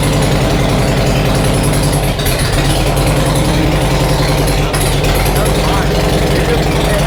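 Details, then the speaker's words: Harley Road King V-twin with new cams, not yet tuned for them, idling in garage after first start: loud, steady lope with even firing and no top-end ticking; valve train quieting down, sounds quiet. "The valve train is quieting down. It's getting nice and quiet."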